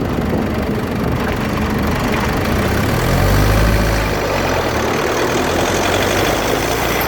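Constant gritty grinding under steady road roar while driving, rising and falling slightly with speed; a rough grind from the front differential area.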